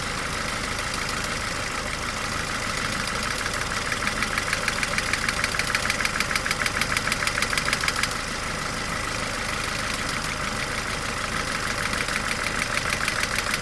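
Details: 18-year-old Mercedes A-Class W168 1.6 L petrol automatic, about 150,000 km, idling: sharp periodic clacking about twice a second, louder than and in addition to the normal valvetrain ticking. Cause unknown.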